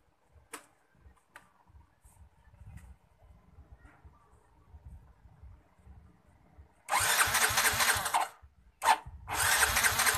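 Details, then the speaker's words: Yamaha Mio J fuel-injected scooter that won't start, pressure gauge fitted at fuel pump: repeated few-second starter cranking bursts never catch, fuel pressure doesn't rise at all; crank no-start with no fuel pressure. "tekanan DC mau naik sama sekali tekanannya Coba kita starter sama sekali nggak mau naik so mintanya enggak mau naik ya"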